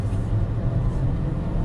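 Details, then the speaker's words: BMW E39 540i test drive after replacing the whole driveshaft: steady low road rumble with no clunks, thumps or vibration, driveline running smooth. "Sound like it's back? Yeah. Yeah, that one good. That sounds smooth. Yeah. It's really smooth too, man."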